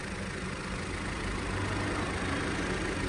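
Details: Vauxhall 1.4 petrol idling with engine light, code P0300, misfire mainly cylinder 1, some on 2, shaking and light bluish smoke: slightly lumpy, uneven beat; suggested fix is new spark plugs and ignition coil.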